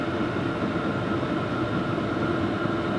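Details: New Vevor diesel heater on setting 6 (maximum), about 400 °F at the outlet tube: steady rushing fan roar with a constant mid-pitch hum, no knocks or surging; running smoothly at full output.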